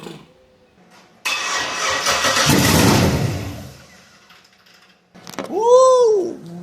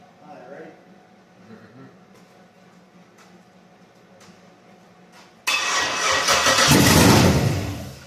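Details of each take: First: 1966 Ford F100 on a 2008 Crown Vic chassis with an LS-swapped V8 and the stock engine computer tuned elsewhere: it cranks, catches, roars for about two seconds and dies. The anti-theft lockout in the engine computer is killing it. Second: 1966 Ford F100 body on a 2008 Crown Vic chassis with an LS-swapped V8, first-ever startup: it cranks briefly, catches on the first try and settles into a strong, even V8 idle. A normal start.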